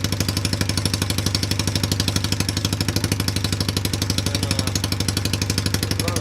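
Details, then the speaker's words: Cheap Chinese ATV with a bad CDI, run off a jumper pack with the coil trigger wire jumpered: the small single-cylinder engine thumps at a quick, even beat with no misses; the engine runs, though the clutches are bad. "all right so it does run um I'm going to back you up a little bit and show you the problem that we have now"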